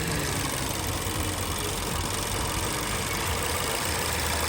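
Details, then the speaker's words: Vauxhall/Opel Insignia 1.6 SIDI A16XHT idling evenly and smoothly after about half an hour, with no air-sucking or squealing noise, after replacing the failed PCV valve that caused squealing at the camshaft seal. "so no more air socking and no more squealing noise that's it bro so yeah all the car running far around half an hour now everything seems fine yeah still um still running smooth"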